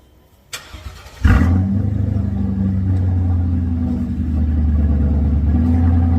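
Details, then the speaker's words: Car with a Flowmaster X-pipe and 2.5-inch exhaust all the way back; its mufflers were crushed and then cut off. After the start, a deep, loud, booming, raw idle: loud exhaust with the mufflers removed. "It's already got the Flowmaster X pipe in it. 2.5-inch exhaust all the way back. I cut them off."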